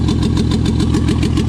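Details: Toyota 2JZ swapped into a 4Runner, first start after install, around 1900 rpm: rough, lumpy idle with pulses dropping out, like two cylinders not firing; misfire, later traced to injector adapter connectors not making full contact.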